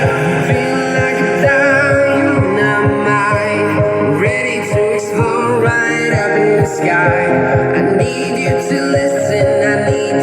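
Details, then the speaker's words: Dolphin Sound DS5A speaker after repair of hoarse-sounding (serak) fault caused by faulty capacitor: music plays clean and full, bass punchy and even, no hoarse fuzz on vocals; output back to normal. "Oke, soalnya udah enak ya bassnya enggak serak lagi."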